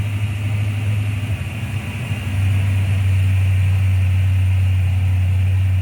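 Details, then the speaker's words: 1995 Ford Mustang GT, Ford 302 V8, after swapping in a new manifold, rebuilt carb, fuel pump and gas tank; a loose plug was found and timing set. Briefly lumpy, then a steady, deep, even V8 idle firing on all 8 cylinders. "but we found a loose plug Billy found a loose and then I set the timing and now it's running right"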